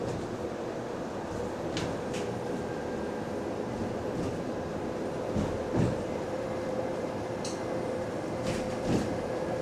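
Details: Recorded on a GAL EBD67 bus on route SL4 after the creaking suspension was fixed: a steady low rolling rumble with only faint rattles, and no creaking or groaning over bumps. The suspension is quiet.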